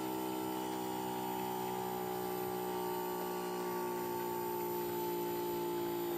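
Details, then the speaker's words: Bosch heat pump outdoor unit in defrost cycle, coil steaming: compressor hum ramps up noticeably then slowly settles back down, no rattle or grinding; normal defrost operation. "you heard how that thing ramped itself up you heard that compressor really kick up there in sound and then it slowly started going back down"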